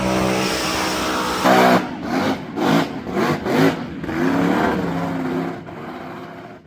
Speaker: We'll get some more footage here and uh fire it up. Otherwise, it sounds good.